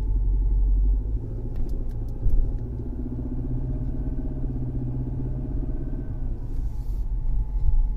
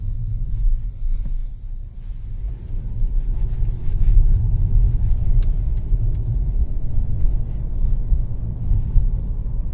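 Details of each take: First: Mercedes C250 W204 four-cylinder at idle: a low, heavy drone pulses with every engine revolution. It resembles a high-pressure fuel pump or engine leaning on the firewall, but nothing is touching, so the cause is worn engine mounts. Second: Four-cylinder Mercedes C250 (W204) driving and pulling from a stop after replacing the engine mounts, which had let a rotational high-pressure fuel pump noise into the cabin. Smooth, even low rumble with no droning; quiet, repair successful.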